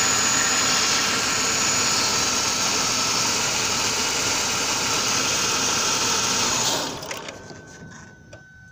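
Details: 2000–2001 Ford Taurus 3.0L stalling at stop lights: engine runs with a harsh, busy note about seven seconds, then abruptly dies as the crankshaft position sensor wire is wiggled; bad wire connection at the crank sensor connector.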